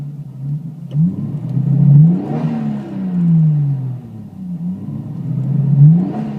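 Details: Toyota Supra MkIV J-spec twin turbo revved in short blips, note wavering and stumbling unevenly instead of climbing cleanly; misfire-like stumble, cause unconfirmed.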